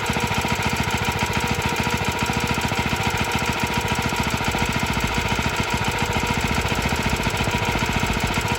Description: It’s a little rattly but doesn’t sound as bad in person.